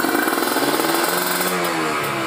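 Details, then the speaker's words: Kawasaki Ninja RR two-stroke, PWK30 carb retuned after fitting a ground "booster" wire (JJY needle, pilot 42): crisp, clean revving through quick blips. Low rpm is still slightly heavy, but throttle response is now good. "Nih untuk RPM bawahnya memang masih ada berat, tapi ini basahnya bikin nyaman ya, tarikannya enak banget teman-teman."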